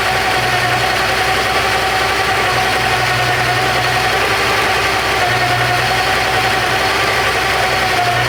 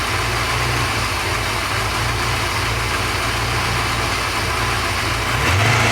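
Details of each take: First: Porsche 928 V8 idling with all auxiliary belts removed: thin, steady mid-pitched whine over the engine, unchanged without belts; loose oil pump pulley rubbing the timing cover. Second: Porsche 928 V8 after oil pump work: smooth steady idle, no whine, quick blip near end revs cleanly; all sounds good. Normal idle.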